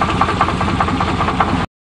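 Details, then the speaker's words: 1988 Chevy truck on test drive, owner says bad crank: rough idle with dull knock every fraction of a second over engine drone; owner says it sounds sick, crankshaft knock. "You can't kill a Saturn. Ugh. Oh, that sounds kind of sick."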